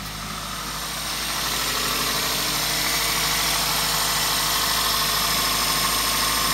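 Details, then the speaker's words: Toyota 1ZZ-FE engine after Seafoam poured down spark plug holes to unstick piston rings, running rich: steady, even idle with light regular ticking about four a second; normal valve noise. "Some interesting clicky noises going on. Hopefully it's nothing wrong. It's just normal valve noise."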